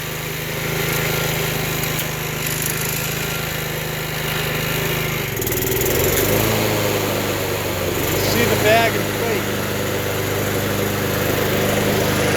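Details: Vintage, believed late-1980s, Toro GTS 5hp 3-speed self-propelled mower (model 20622), apparently Suzuki engine, found in shed, with blade clutch: steady single-cylinder drone dips briefly then settles; runs smoothly, no knocks or misses.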